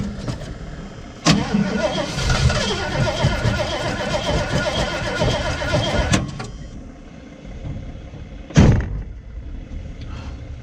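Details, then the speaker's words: Salvage-auction vehicle, unknown age, in very cold weather with a corroded weak battery after starting spray: starter churns unevenly about five seconds without catching, crank-no-start; gauge reads fuel but slow, maybe not cycled long enough. "The gauge reads that there's fuel. Oh, I don't think we were able to have it cycle long enough."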